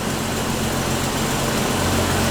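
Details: 1993 Jeep YJ with new Crown Automotive fuel pump running 40 psi fuel pressure: smooth even low idle, steady hum, no misses, ticks or surging; pump later shows no check valve, pressure bleeding off at shutdown.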